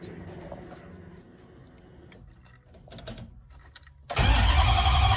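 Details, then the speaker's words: 5.7 Gen 3 Hemi swapped into a 1970 Challenger, Holley Terminator X ECU, first ever start: slow uneven cranking, then the V8 catches with a sudden loud lumpy bark but won't idle; idle screw likely needs adjusting and a sensor is still unplugged. "I'm so happy that obviously it didn't really idle. I got to adjust the idle screw a little bit, I think, and then, plug in maybe that sensor would help."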